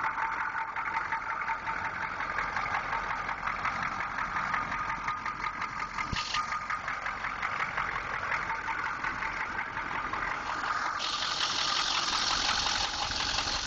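Steady idle with a sharp, fairly regular knock ticking about three times a second over the engine; a knock of unknown cause.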